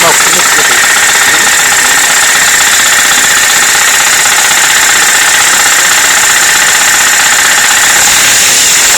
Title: Стук в двигателе